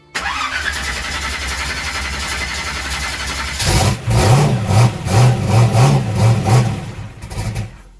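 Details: Holley EFI drag race car, after fuel pressure was found not building while cranking: cranks about 3.5 seconds, catches, then runs lumpy with uneven pulses settling into a rough idle; engine starts.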